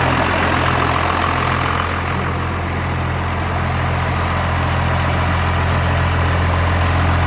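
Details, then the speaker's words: First-gen diesel dually idling after a new starter was fitted and the fuel shut-off solenoid addressed: steady, even idle with a deep, unchanging clatter, no stumbles or surges; running right. "it's so much different experience than the blue truck like it is quiet in here it does have timing in it but it's quie"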